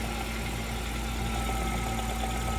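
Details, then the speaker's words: 2023 Nissan X-Trail T33: steady rough droning hum with faint knock from a stiff, worn propeller shaft universal joint, spun in workshop; causes knocking and body vibration at 30–40 km/h. "So sinubukan nating ah paikutin 'tong proveller shop then ah na-confirm natin na dito nagmumula yung maingay t saka yung vibration. So kung maririnig niyo so maingay siya."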